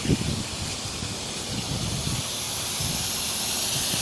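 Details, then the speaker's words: Zone 7 second compressor blast during a sprinkler winterizing blowout: a steady hissy rush of air from the head with only a few faint spits and a couple of tiny drops early on. The line is blown essentially clear and the zone is finished. "Zone 7, second blast. I'm hearing just air. Somewhere in here, right there. Couple little tiny drops."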